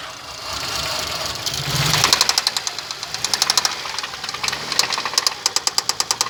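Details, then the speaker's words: Toyota Kluger with 1MZ engine that began knocking less than 100 km after an oil change: sharp, fast metallic tapping over the engine, coming in bunches as revs change; internal engine knock, cause unknown. "Стук двигателя 1 МЗ. Смотрите, парни, что берете. После замены масла, не проехал 100 километров, стуканул."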